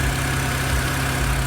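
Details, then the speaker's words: BMW E90/E92 with stutter and rough idle, after the VANOS intake and exhaust solenoids were removed, cleaned and reinstalled: smooth, even low idle with a steady hum and no stumble, showing normal idle. "Well, let's see if it worked. [snorts] seems to be doing a lot better."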